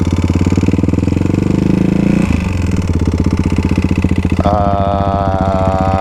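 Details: Modified Kawasaki KLX351 single-cylinder after hard riding on snow and ice, did not lock up: a heavy regular hammering knock on every firing stroke at idle, still there as it revs; owner thinks not bottom end, suspects a failed cam chain tensioner.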